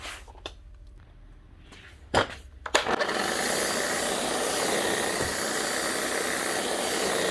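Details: Bosch GSH11E demolition hammer, heavily worked with worn tool holder: handling knocks, then motor spins up to a steady whir with no hammer blows; motor running badly, hammer doing nothing, worn hammer mechanism and loose wobble ring, needs full strip and service.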